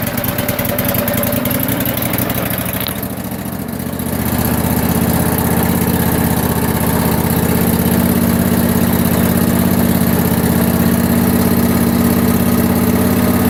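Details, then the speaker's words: Cub Cadet at startup without choke: steady, even idle with a smooth regular beat, no smoking, knocking or ticking; engine sounds healthy, though the kill doesn't stop it and dash lights don't work. "it's not smoking it's not knocking it's not ticking it actually sounds reasonably good in my opinion"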